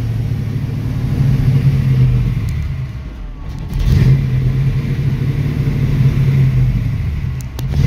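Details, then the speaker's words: 1966 Mustang with a Holley 650 double-pumper carb: the V8 blips on throttle, then sags and dies when the pedal lifts, and idle screw adjustment doesn't help. Fixed by adjusting the throttle blades' transfer slot. "see so the moment that I let off the gas it it died on me so every single time I had to basically like mash on the gas uh several times you know pump the gas so that the accelerator pumps could actually uh uh inject Max gas in there so that the car could stay on right"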